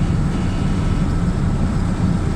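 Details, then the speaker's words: Lada Niva while driving, checked after clunks heard from front left on and off throttle: smooth low road rumble with no knocks or clunks coming through; driveline sounds normal. "а в целом вот эти посторонних звуков духов нет никаких так что за нормально будет"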